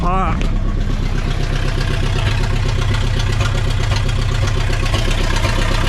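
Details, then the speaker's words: 1960 Pontiac Ventura, 389 two-barrel V8, automatic, parked 24 years, revival idle: uneven lopsided lope with a dropped beat, missing a cylinder; better afterward but still slightly rough. Misfire. "that's better yeah we were missing a cylinder still got a little bit bit of a bbal but not bad"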